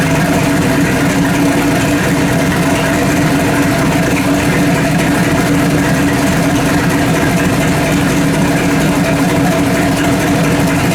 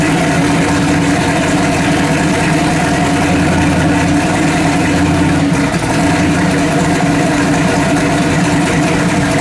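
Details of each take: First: Freshly built 406 V8 in an S10 on first fire-up, timing at about 32, temperature at 150 degrees: a deep, steady, lumpy idle with no knocks until shut off. It runs a lot rich; the mixture and idle probably need redoing. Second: Freshly built 406 engine for an S10, first fire-up: a steady, even V8 idle with a smooth low rumble and no misses or pops. Timing about 32; it runs cleanly.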